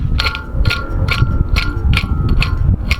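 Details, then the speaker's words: Old turbo removed from an RB25DET, compressor wheel spun by hand: bright scraping rasps about twice a second with metallic drag each turn; the wheel is visibly worn away, damaged turbocharger compressor wheel. "you could tell by this side just look at it look at the wheel it's gone"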